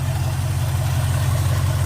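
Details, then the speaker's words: Car warmed up with temperature gauge near 120: smooth, quiet, even idle with no knocks or ticks. Normal idle, though a fuel line is found leaking at the fuel pump. "but you should be able to hear it running pretty good. How quiet it is."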